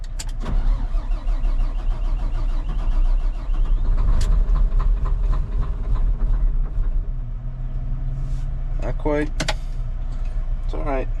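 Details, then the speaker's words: Volvo L180G wheel loader diesel, cold start, engine failure warning showing: long, low cranking drone that never catches; owner suspects low compression and a needed rebuild. "We're getting there. I'm just happy the batteries are up enough that it's actually trying. Um, definitely pro I think it has low compression. It probably needs rebuilt."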